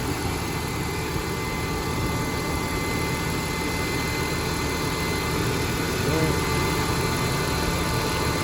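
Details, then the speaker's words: BMW E46 on cold start after secondary air pump valve replacement for codes P0492/P0491: steady whirring drone over cold idle; secondary air pump running normally. "all right let's go outside and listen to the pump all right guys so the pump is pumping i feel it right here"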